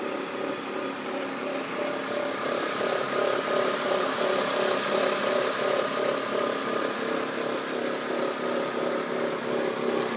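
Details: BMW E46 323Ci at idle, owner also reports white smoke: fairly even ticking around three per second over the engine hum; source unknown.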